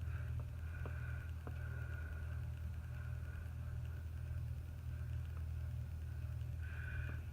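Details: Antique General Electric ceiling fan at low power: low steady hum with faint occasional ticks, even and well balanced; at full power some resonance through the canopy.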